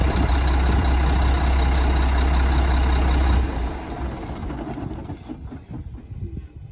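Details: 1997 Mack RD600 diesel cement truck from auction, just started after charging dead batteries: deep even diesel rumble with a steady beat for about three seconds before winding down; clean normal idle.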